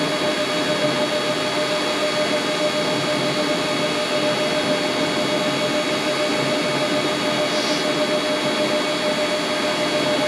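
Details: Mini lathe drilling into stock on tailstock, locked tailstock, cutting oil applied, feeding slowly; steady even motor whine with fixed high tones, no chatter or squeal; normal center drilling.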